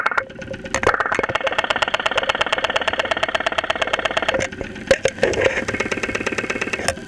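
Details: 2001 Saturn SL2 run with very low oil and unused for two months, heard through a stethoscope microphone at idle with 35-40 psi oil pressure: a hard metallic knock about three per second over a quiet idle. Worn bottom end suspected, not confirmed.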